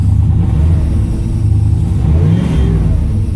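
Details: 1981 Pontiac Trans Am 301 turbo 4.9 L V8 with new FiTech EFI, revving: deep strong V8 climbing and falling with throttle, no stumble or bog; revs healthily.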